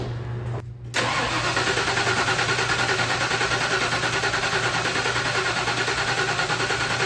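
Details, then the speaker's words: OBS crew cab short-bed truck that sat for years, on weak batteries. A steady, even starter churn at about three compression beats a second with no catch or firing. It cranks but won't start; the next step is checking for spark at the #1 plug. "Crank's good. Yeah. They're just not even trying."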